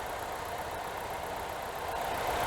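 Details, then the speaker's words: 2006 Chevy HHR 1LT engine at a smooth, quiet, even idle with a low steady hum and no knocks or ticks; owner calls it fairly sufficient and reports about 27–28 mpg. Normal idle. "and quiet engine like I said it's really it's it's fairly sufficient for what it is"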